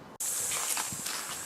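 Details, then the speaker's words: Spare tyre from under the boot of a car, crushed-looking, inflated to 2 bar; sharp, steady hiss starts suddenly and continues as air leaks from the tyre, which is judged dead. "bon je viens de mettre deux barres dedans vu le bruit que ça fait c'est pas bon voilà ça vient d'ici"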